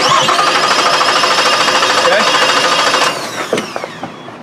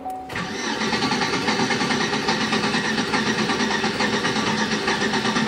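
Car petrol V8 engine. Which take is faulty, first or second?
second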